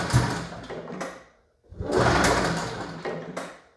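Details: 1981 Yamaha SRV 540 two-stroke snowmobile, barn find, after carb cleaning and new plugs: two bursts of recoil pulls spin the engine with a dry whirring but it never fires; no start, debris holding the reed valves open.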